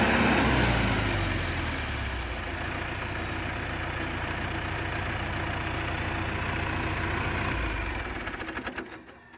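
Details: John Deere 450C bulldozer diesel, warmed up after reassembly, relief pressures set and fluids topped off, backing out of the shop: a steady, even drone with a smooth low beat and no knocks or misses; normal.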